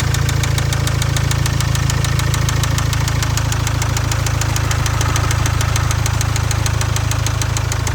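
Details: Jaguar Land Rover Ingenium engine with excessive blow-by and suspected spun bearing: steady, sharp knock about four times a second over a heavy low rumble at idle, rod knock.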